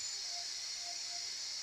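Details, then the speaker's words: Older-version Noxxa pressure cooker after a 5-minute high-pressure cycle of glutinous rice (loh mai fan), switched to keep-warm: steady, high, even steam hiss with no sputter or whistle; normal pressure release before opening the lid. "okay okay you can see the sound of the means the pressure inside is it has been released so just let it be right"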